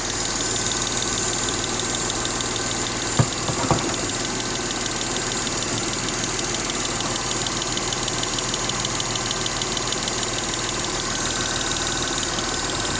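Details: M272 engine at idle: a light, fast ticking sits over a steady idle with top-end chatter; the engine is ticking at idle and the cause is unknown.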